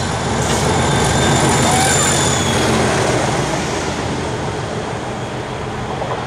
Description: DRS 37261 drags Failed 66302 making a massive noise passing Stafford working Daventry-Crewe Gresty Bridge 19/08/13